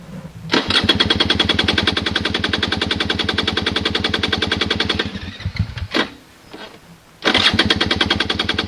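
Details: Honda dirt bike, hard to start especially early in the morning, fuel on, no throttle given; rapid cranking bursts about three per second that cut out without catching, then crank again; trying the kill switch is suggested; cause not confirmed.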